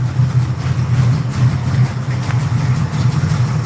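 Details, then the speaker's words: Reworked GM Crate 602 ex-dirt-track V8 with dome pistons, dimple rods and Vortec heads, newly dialed in, idling: a steady, even, lopey rumble with a firm regular beat and no misses or ticks. A healthy cammed V8. "She sounds good. What do you guys think? Yes. It's amazing. 10 out of 10."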